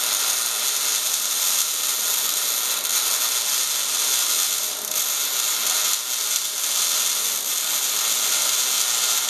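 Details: MIG welding at 200 in/min wire speed and 16.5 V, dragging with a big nozzle: an even, crisp frying sizzle with no pops. Normal, properly set arc.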